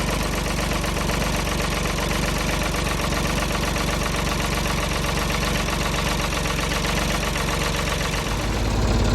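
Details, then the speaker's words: Ford diesel tractor, 40+ years old and long sitting, cold start on a freezing snowy day after overnight battery charge: steady low clatter, firing evenly without stumbling; normal idle. "who doesn't want to see a cold start on a diesel tractor in the snow"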